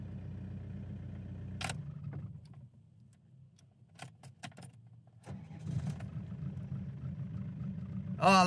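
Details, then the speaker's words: 417k-mile Renault 19 diesel after replacement starter motor fitted: turns over briefly, catches on the button without hesitation and settles to steady even idle; healthy start. "a good sound I like it hey on the button now that's a big relief that is one big job done out the way sorted"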